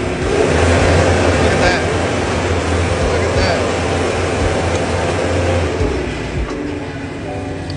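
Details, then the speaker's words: JLG 660 engine-driven boom lift running with the selector switch bypassed by jumper wires, foot switch pressed in drive: a steady, fast, even drone, then easing down. High idle works normally, showing the faulty toggle switch caused the no-high-speed complaint. "look at that foot switch and drive and it should get with high speed"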